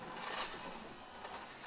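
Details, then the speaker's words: WPL D12 RC truck after fix: motor buzz reduced by two back-to-back 1000uF capacitors and an inductor on motor wires; soft faint buzz now quieter than transmission whir, some noise remains. "Much better. Now you can hear the noise is lower than the transmission."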